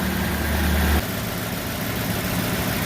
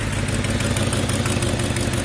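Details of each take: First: Ford 5.4 F250 Super Duty after replacing a cracked passenger-side exhaust manifold with a broken stud: a low, even idle; a brief initial exhaust leak quieted right down. Normal idle. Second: Ford F250 Super Duty 5.4 V8 at idle: quick steady ticking over the exhaust note from an exhaust leak, a cracked passenger-side exhaust manifold with a broken stud, later replaced.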